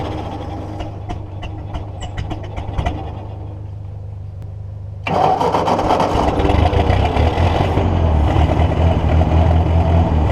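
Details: Ford NAA Golden Jubilee tractor (1953/1954), idle over 20 years, spark restored via battery connection fix: cranks, catches and runs rough with uneven pulses, kept alive only by fuel poured down the intake tube; owner suspects a clogged fuel line, carburetor removed next.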